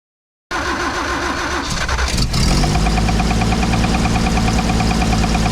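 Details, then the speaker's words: 1968 Toyota FJ40 just after a D40 carburetor overhaul: it cranks, fires right up and settles to idle with a regular knock of about three per second over it. The carburetor works; the knock's cause is unknown. "Well, pretty much fired right up. Carburetor worked great. Haven't had it on the road, obviously, but as you could hear when it fired off, we got that knock."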